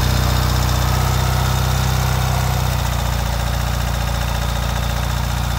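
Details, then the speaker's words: 2023 Ural sidecar motorcycle cold-started at 20°F in January with parking brake set: goes straight to a high idle, steady even low rumble with quick fast-idle beat, no knocks or rattles; normal cold-start high idle, exhaust vapor should clear within a minute. "and of course you can hear it go straight to a high idle that is perfectly normal that's what you want"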